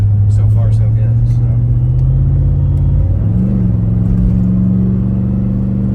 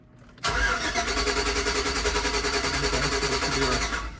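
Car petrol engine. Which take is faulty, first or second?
second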